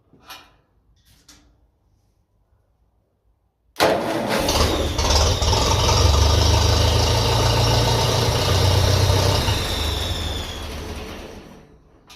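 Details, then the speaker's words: 1957 Ferguson FE35 TVO tractor, just restored and started: steady low chug with thin high whistle on top; air leak at loose intake fitting, whistle sharpens as it is tightened further. "I'd say it's just, you can hear it even worse now, so I'd say what happens is we're getting there, just need to give it another little tighten."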